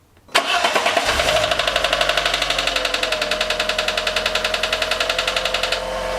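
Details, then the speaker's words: Fiat 500 just after cambelt and water pump replacement: sharp metallic ting about eight times a second over the idle; cause suspected, not confirmed. "it was basically like someone hitting a knife and fork together very metallic ting ting ting ting whereas down here it was more of a sort of a dull mechanical sound so it's louder at this end and even louder at the water pump on there"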